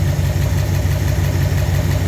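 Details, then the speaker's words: Ford Ranger with newly installed V8 at a steady warm idle; new zinc cam additive, correct-length pushrods, zero lash reset. Light, quick ticking rides over the idle: mild hydraulic lifter valve clatter, not too bad. "bit of valve clatter Not too bad"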